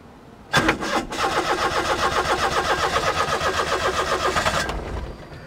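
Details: Perodua Kancil 850 cold start after sitting overnight: long uneven cranking at about four turns per second before catching; hard cold start from faulty automatic choke.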